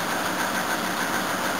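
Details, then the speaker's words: 1984 Toyota Cressida, cold start, engine sounding tired: lumpy, uneven idle with an irregular stumble, as if one cylinder isn't firing. Runs on all cylinders after about 20 seconds; owner suspects a blocked fuel filter. Rough cold idle, misfire. "Must warn you, this engine does sound a bit tired, and this camera probably makes it sound 10 times worse."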